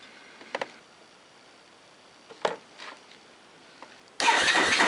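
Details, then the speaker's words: Honda ATV after rebuilding the factory starter and repairing its brushes: the starter engages after a few clicks, the engine catches at once and settles into an even, steady idle; starting system working properly. "yeah sounds like it's running good all right well does it start let's find out yep sounds good"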